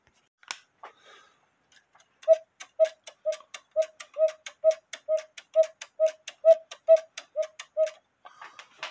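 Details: 1908 GK cuckoo-quail clock with count wheel movement, after regluing the bellows sides: about twenty crisp evenly pitched pipe notes roughly two per second; bellows now speak cleanly, normal call.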